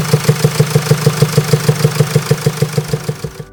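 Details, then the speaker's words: Common used car at idle, no warning light: sharp even metallic ticking about three times a second from the cylinder head, suspected cam follower fault; grows louder if ignored, could eventually stop the engine. "자 일단 소 지금 들어 보셨단 말이죠이 소리가 지속이 되면 더 커질 거고 거기서 또 지나면 말 그대로 뭐 뭐 어떤 부품이 손상이 있기 때문에 이 소리가 나는 거란 말이죠"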